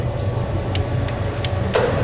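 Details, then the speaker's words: Sette 270 WI grinder under repair, its faulty lower switch bypassed to run the motor directly: steady low motor hum with a few light ticks; the motor itself runs normally. "Subukan natin irekta kung mairerekta natin, kasi may switch naman dito yan guys. Yan, gumagana yan."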